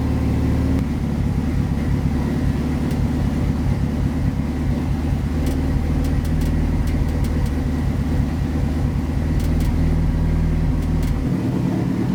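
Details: Freshly built Mitsubishi Evo 9 during break-in idle tuning, after adjusting the idle and TPS toward 13.3: smooth, steady low idle with an even beat and no misses, knocks or hunting; idling cleanly and settled.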